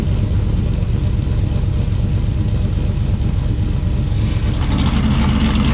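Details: Blueprint Engines 377 stroker V8 (BP383CT1) in a muscle truck on Holley Sniper EFI: deep, lumpy idle, steady and even with no misfire, picking up a little near the end; engine running healthy.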